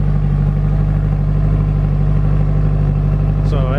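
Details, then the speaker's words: Turbo Honda S2000 with remote oil cooler, first run after build: firm, steady idle with an even low pulse and no misses, rattles or whistles; engine sounds good, normal idle. "so we didn't take a break but it sounds good we're gonna run it a little bit more"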